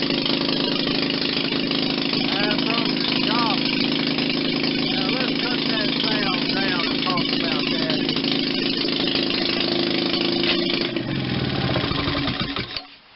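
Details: Rebuilt 1940 Maytag model 72 air-cooled twin-cylinder gas engine with new rings: it runs with a steady, fairly even two-stroke patter and no knocks or rattles, then shuts down cleanly; sounds healthy.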